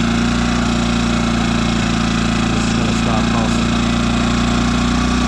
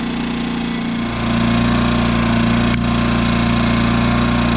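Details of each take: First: New Yamaha EF2200iS inverter generator on eco mode, after turning the idle screw in so the stepper motor finds a stop, fixing idle surging: constant steady drone with fixed tone and no rise and fall; normal idle. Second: Brand-new Yamaha EF2200iS inverter generator idling on eco mode after two days' use: engine note steps up and louder as speed hunts, surging but less than before; stepper motor lacked a stop at the idle screw, fixed by turning it 1.5 turns in.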